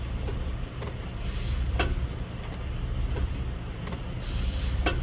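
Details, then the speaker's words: Ram pickup, around 2020 model, 126,000 miles, stationary at idle shifted into drive and reverse; sharp irregular clunks roughly every second over a low rumble, also on acceleration, a driveline knock possibly in the differential or driveshaft. "now when I accelerate I hear a th noise a knocking noise let me see let me show youall cuz I can do it just sitting here"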